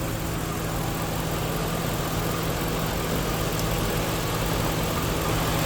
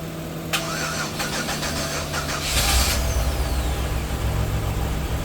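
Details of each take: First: 1997 Chevy Venture just started after long storage and starter replacement, battery recharged; uneven lumpy idle with irregular low throb, stumbling but holding. Owner suspects old gas; oil and water checked good; it clears up. Rough running. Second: 1997 Chevy Venture starting after long storage, starter replaced, battery charged about 20 minutes; several seconds of quick even cranking, then catches and settles into idle, running rough with suspect old gas. Normal engine start.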